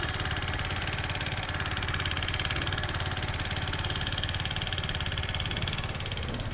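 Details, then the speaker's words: TVS Apache RTR 160 4V at idle: a fast, even khat-khat ticking clatter over the engine beat, about three or four a second, very loud, pointing to excess valve tappet clearance. "दोस्तों आपने सुन लिया देख सकते हैं engine से कितना आवाज ए रहा बहुत ज्यादा नॉइस ए रहा है दोस्तों खतखाती खटका खटका"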